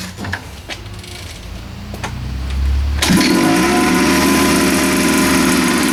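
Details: 47cc Chinese pocket bike two-stroke on oil-mixed gas, after cleaning the carb jet for a no-start: catches after a few quiet turns and settles into a steady, even buzz; running normally again.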